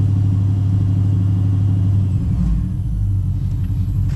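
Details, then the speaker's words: Pontiac G8 GT V8 idling after DIY oil change with Mobil 1: deep steady burble, even beat, no ticks or knocks; owner listening for lifter problems says so far it's running right. "Well, I kind of know what to listen for. So I mean, so far it's running right."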